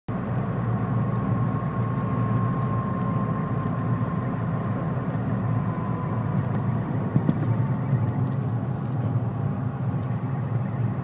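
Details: Citroën Saxo VTS petrol engine running: low rumble with a thin, high chirp riding faintly over it; owner says something is broken.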